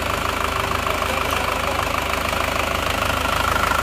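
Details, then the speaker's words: Newly assembled diesel engine on first start with the fuel line initially empty: starts easily and settles into an even idle with steady clatter, no misses or stumbles; running smoothly and no longer smoking. "tes starter langsung hidup ya Engak enggak begitu sulit ternyata Alhamdulillah hidupnya rata suaranya"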